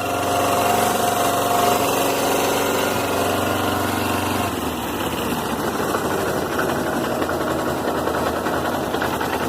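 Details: Suzuki GS 500E twin idling with an uneven mechanical rattle, about three beats a second over the exhaust; the noise appears at idle and disappears at high revs; source unconfirmed, possibly cam chain tensioner.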